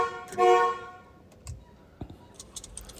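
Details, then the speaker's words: 1986 Ford F150 during refresh, new switch installed: one short, clear honk with a steady, strong tone and no rasp or dropout; everything working as it should, even the horn, though no four-way flasher yet, so hazards not flashing. "Need to get a four-way flasher on it. That's why they're not flashing, but everything is working as it should, even the horn."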